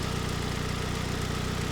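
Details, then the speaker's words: 2007 Ford Focus SE 2.0 petrol, warm idle after a couple of minutes running, after replacing the serpentine belt, tensioner and idler pulley: smooth, steady low pulse with no squeal or chirp from the belt; seemingly quieter than before, normal idle. "Alright, so it's been running for a couple of minutes. Pretty quiet as far as belt noise goes."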